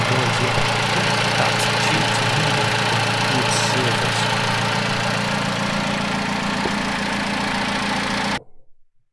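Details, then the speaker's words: 2008 Vauxhall Corsa 1.2 petrol, secondhand purchase, before any work, service/electrical fault light on: even, steady idle with a smooth regular beat, no knocks or misses, before it cuts off. Normal idle. "otherwise sat there idling awake happily so let's go take a look in the bottom"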